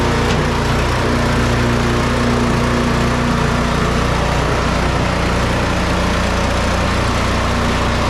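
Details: Snow Beast 45SB 45-inch snow blower with DEK 420cc single-cylinder engine, started up: steady, even running with no misses, knocks or surging; sounds healthy.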